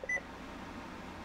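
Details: Radio Shack HTX 202 handheld ham radio switched on after replacing the memory backup battery: one short, clean high beep, then quiet room hiss; it remembered 146.52 MHz, no more error, normal power-up.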